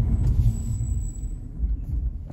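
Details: Ferodo DS2500 brake pads, not heated and at normal temperature, during light braking such as approaching a traffic light. A thin, steady high-pitched squeal lasts about 1.5 seconds over road rumble: pad squeal.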